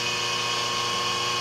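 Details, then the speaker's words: 5 HP inverter-rated three-phase idler motor on a 5 HP rotary phase converter, idling unloaded on the bench, about 7 A and 8 A on two legs: smooth constant hum with steady high whine, no rattles, running normally. "so uh this motor is quite efficient it's idling here very happy at uh we'll call it seven point uh it's still going down here"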